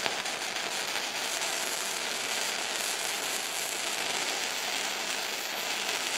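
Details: Firepower FP-200 MIG welder, first test weld with wire speed set by guess: even, hissy frying crackle; bead started a little cold, and wire suspected of feeding too fast, so adjustable run-in may need adjusting (not confirmed).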